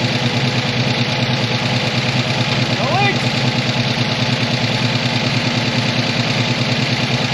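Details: 1985 ASC McLaren coupe V8, newly built engine, first run since 2002: steady idle with fast, light top-end clicking that keeps pace with engine speed; suspected valvetrain, owner unsure whether the lifters are rollers, not confirmed.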